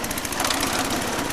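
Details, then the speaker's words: Lawn tractor small engine while mowing; harsh, rapid knocking rattle pounding steadily, sounding serious, cause unclear; the mower was not actually cutting grass. "Oh, that sounds lethal, that does."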